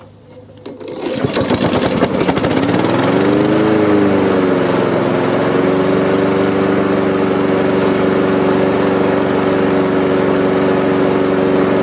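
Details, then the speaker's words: Honda HRX217 electric-start mower that sat outside for years, after cleaning, on third start attempt (suspected water in carb from washing): cranks, catches and settles into a smooth steady hum; running normally. "Third time's a charm. Well, that was it. I mean, that was an easier fix than I thought it was"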